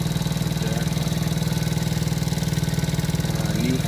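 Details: About 49 cc kids' Chinese ATV, single-cylinder, after replacing the starter solenoid that only clicked; buzzing along at a steady idle, about four pulses a second, even and unbroken; normal idle.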